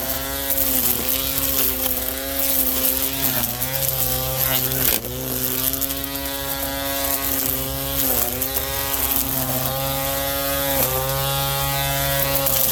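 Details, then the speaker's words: Ryobi P2006A 18V One+ brushed trimmer after string trimmed to proper length: steady high electric whir with line hum, dipping briefly under cutting load, normal running. "My string was a bit too long, that's why it was noisy like this. So, now that's the way it sounds like usually."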